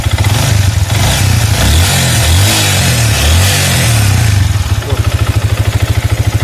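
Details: Used, poorly kept Yamaha V-Ixion motorcycle being revved: rough revving with a loose tak-tak-tak clatter underneath, clearest as revs settle; the piston and connecting rod are badly worn and knocking.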